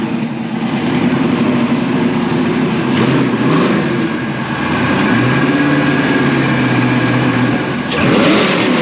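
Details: Replica Lamborghini Diablo kit car after fuel pump work (tank sediment can block pump when moving): engine catches, holds a steady run, revs climb and settle smoothly with no sputter or misfire; runs fine.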